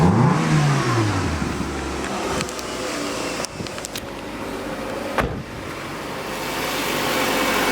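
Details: Mid-2000s (2005) Nissan Altima with aftermarket intake after fuel pump assembly replacement: engine blips up and falls back cleanly, pulling smoothly through each rev with loud intake roar; runs as it should.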